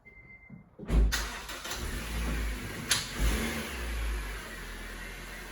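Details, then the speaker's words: 2010 Honda Civic (bought used with about 12,000 miles) after replacing the exhaust with a brand-new pipe and muffler: the engine catches quickly and settles to an even, mellow idle with no whistling, rattles or blowing; the exhaust sounds like new again. "Sounds like new. No whistling Dixie. No whistling diesel. Sounds like new again."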